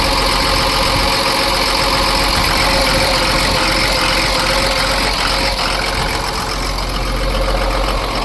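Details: Cummins diesel in Ford F750 truck, first start after sitting years, after empty fuel filter filled: steady even idle clatter with constant beat, no misses or stumbles; skip gone, good oil pressure, normal idle.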